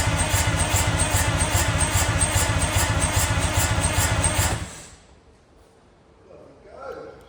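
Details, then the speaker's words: Junkyard Detroit Diesel 6-71N being turned over: about four seconds of cranking with an even beat near 220 per minute and sharp pops over it; owner suspects a stuck or open valve, unconfirmed. Popping noise while cranking. "watching this back now that popping noise is a lot more apparent in the video I didn't seem to notice that as much when I was actually turning it over but I might have a look and see if it's got a stuck valve or something"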